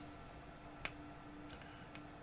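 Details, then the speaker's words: HMV 42-71 valve radio, powered up slowly on reduced voltage to about 200 V: low steady hum with occasional sharp clicks; the cause of the clicking is unclear. "and bring it up to 20 200 can hear it humming and clicking away"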